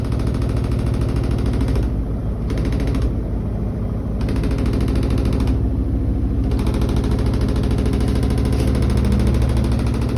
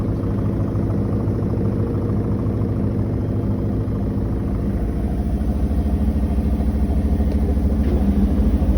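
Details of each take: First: New Koenic KWM 8212 A INV inverter washing machine, empty cleaning run, spin cycle: rapid, regular hard knocking about three per second over the drum rumble. The lid bangs because it does not close properly. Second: New Koenic KWM 8212 A INV inverter washing machine, empty cleaning run: a steady, even low hum from the spinning drum with no knocking or grinding. A quiet, healthy spin, inaudible across a 50 m² flat; only the lid is noisy.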